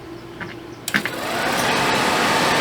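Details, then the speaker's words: RV Suburban furnace removed from RV, bench-run on 12 V (owner suspected bad motor): steady rough whir with scraping edge, noisiest at shutdown; fan wheel rubbing housing suspected, to be torn down and tightened. "See, it's not as making as much noise as it was, but it still sounds rough to me. So, we're going to go ahead and tear it down. We may we may just find that a fan's rubbing"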